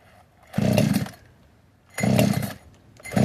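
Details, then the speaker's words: Modded 60cc Echo 620 chainsaw, widened-venturi 620 carb, high jet only a turn and a quarter out, idle turned up: short full-throttle bursts about every 1.5 s with burbly, uneven top note; slightly four-stroking, rich high-speed mixture. "What was I doing before? Was it stroking a bit? Yeah, it was."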